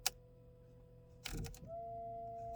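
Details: 2006 Buick Enclave CXL 3.6L, engine off, front wipers inoperative: a click then steady electric hum of the wiper motor spinning freely with no sweep or linkage noise; wiper transmission arm detached from the motor.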